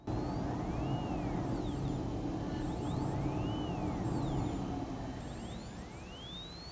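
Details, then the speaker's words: HW-530 signal generator DIY kit on a 12 V supply, coarse adjustment knob being turned; a whistling tone glides up and down repeatedly over a low rumble, output sweeping smoothly and working. "And I'm not sure if you'll be able to hear that, but I can hear a noise coming out of it. So it is working."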